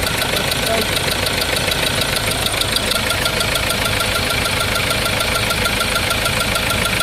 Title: Engine white smoke and engine knocking ford ranger